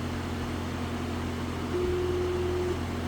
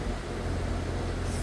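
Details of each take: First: Residential outdoor AC unit running but not cooling: steady abnormal electrical buzz over the unit hum from a failing capacitor, replaced to restore cooling. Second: Residential AC condenser unit running after the capacitor was replaced: steady low hum and airy rush with no longer any of the earlier buzzing or bang, and the system now cooling properly.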